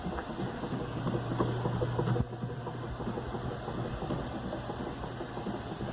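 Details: Whirlpool direct-drive washer 7MLSQ8545PT0 after repair: new motor and capacitor, red and orange wires spliced to stop motor hum; churning swish with light clicks and a brief low hum that fades, washing and spinning normally.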